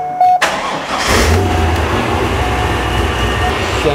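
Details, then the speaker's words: Supercharged C5 Corvette V8, first start after repairing a nasty knocking noise, exhaust reinstalled: starter whirr, then it catches promptly and settles into a smooth, even fast idle with no knocks or misses; it now revs cleanly, unlike before. "oh that is nice that sounds really good I wasn't able to rev it up like this before because it sounded like it was coming apart"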